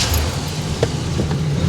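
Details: 1986 Chevrolet Monte Carlo SS V8, one-owner low-kilometre car, started after fresh engine oil and transmission service: deep, even idle with smooth steady rumble, no knocks or misses; oil pressure up to 55 lb, healthy.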